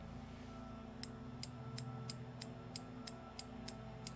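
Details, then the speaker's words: Automotive main relay bench test, power applied to the bottom two vertical posts: sharp even clicks about three per second over low hum; relay coil pulls in cleanly, working relay. "So just like before, power source, let's first see if the relay clicks."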